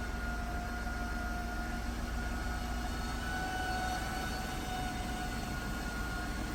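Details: 2008 Jaguar XJ, original alternator failing: steady thin high whine over even engine hum, constant pitch, battery warning light on dash; alternator finally failed.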